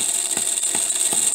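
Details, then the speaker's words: Homemade miniature 4-stroke hit-and-miss engine at about 1500 rpm. High steady gear whir with soft beats; the poor-quality timing gears are making a lot of noise. "so one thing i'm a little disappointed in is the ears i had some gears that i used and uh they weren't very good gears they're making a lot of noise which i think takes away from the appeal of the engine a little bit"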